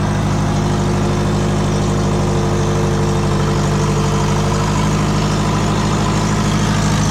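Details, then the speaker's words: Twin-turbo low-mount Subaru build, restarted seven to eight hours after sealant applied: loud steady idle with a fast puffing tick over the exhaust note; exhaust leak suspected at the headers, otherwise the 50 mm wastegate; unconfirmed. "it definitely do have another leg kind of sounds like it's actually coming from the headers uh if it's not the headers it's definitely that 50 millimeter wastegate"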